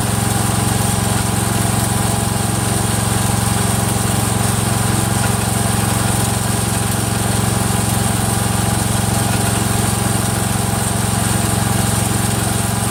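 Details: Freshly rebuilt Kohler single-cylinder engine in a Cub Cadet 102, steady idle with a light regular click about two and a half times a second; the front pulley is coming apart, not a loose rod.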